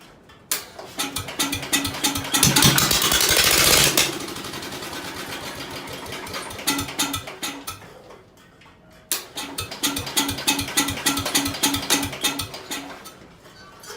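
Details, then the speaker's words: Ford engine freshly reassembled after sitting long with fuel lines off; owner suspects fuel pump went dry or engine way out of tune: catches in short uneven bursts of firing then dies; won't keep running. "I don't know exactly what's going on. I think it might just be way out of tune because these wheels were way different."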